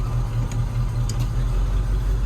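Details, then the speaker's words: 1978 Jeep Cherokee SJ in reverse with throttle: deep uneven thumping that stumbles and skips; cylinder misfire under load, owner suspects worn spark plug wires, possibly worsened by recent rain. "we are in reverse you can definitely hear that misfire now if you give it some gas"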